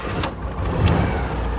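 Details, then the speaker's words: Citroën 2CV warm start, engine already hot: catches almost at once and settles into an even, chattery little putter; healthy hot start. "There we go. Happy little Ellie noises."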